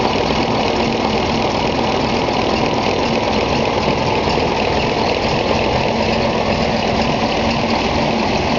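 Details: Gardner 5LW diesel in Bagnall locomotive 3207 Leys at Foxfield, second start-up after engine overhaul: even steady idle with deep chug, no knocks, misses or rattles; normal diesel idle.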